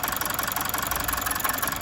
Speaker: Starts, but you can hear a very distinctive misfire. So running on what I'd call 3 cylinders at this point in time.